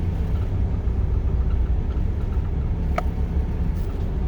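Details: Mitsubishi DSM 420A engine with hesitation complaint at idle: low steady rumble with slight unevenness in the beat and no clean settle; rough idle.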